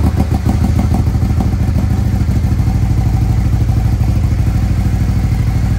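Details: 2020 Harley-Davidson Road Glide custom 130-inch performance bagger, first start of freshly built engine: deep loping V-twin idle with even steady thumps, no knocking or rattling; healthy.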